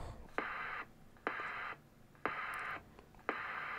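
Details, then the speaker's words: Formac 120 AM/FM 120-channel CB radio, bought faulty from eBay, before repair. Each burst of hiss starts and stops with a sharp pop about once a second. Squelch pop; fix is a capacitor across the squelch transistor's collector-emitter. "so next thing let's have a look at this popping squelch this should be easy enough to fix"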